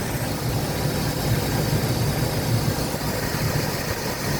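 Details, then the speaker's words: 1999–2006 Chevy/GMC truck just converted to a belt-driven clutch cooling fan with a new shroud, first start at idle: a smooth, steady fan whoosh with no rubbing or knocking; the budget fan has a slight wobble but sounds healthy. "oh I love that sound the sound of a a fan a real fan and I I got to I love it you guys I mean"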